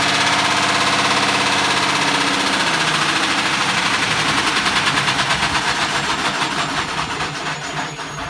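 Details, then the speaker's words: Candy Grand O Plus GOF 472 and Hoover OPH616 washing machines stacked after drop-smash damage, one drum turning: harsh fast rattling thrash about three beats a second easing as drum slows; belt seemingly off. "What a trooper. Sounds like the belt's come off. But it's going round."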